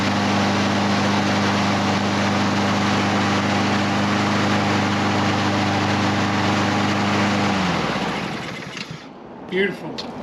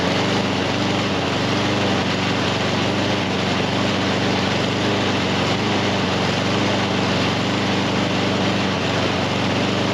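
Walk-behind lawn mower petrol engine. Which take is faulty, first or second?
second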